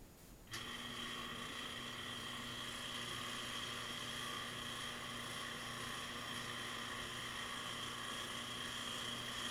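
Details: Washing machine running with a steady whirring drone, a thin high whine and faint ticking; it agitates slowly, won't spin and is noisy, cause unclear.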